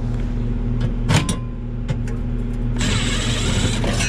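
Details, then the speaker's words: Package unit air conditioner with complaint of running constantly; steady low condenser fan hum with faint tonal drone and no compressor thrum underneath, condenser fan runs while the compressor is not running. "guys this one the customer complained that it runs all the time I do not hear I do not hear"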